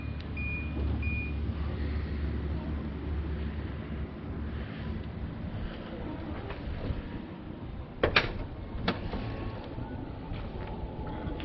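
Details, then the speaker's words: 2012 Nissan Armada power liftgate closing by button after refitting a shouldered bolt that had vibrated out: low steady motor hum as the gate travels, then firm latch clunks; normal closing after repair. "Now it should close by itself if I push and hold the button."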